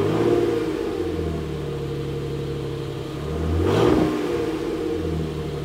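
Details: New, stock 2018 Nissan Frontier Pro 4X stock exhaust tone, before a Flowmaster 40-series-clone muffler swap. Smooth rise from idle through a clean rev and back, with a steady mellow note and no knocks or rattles. Normal.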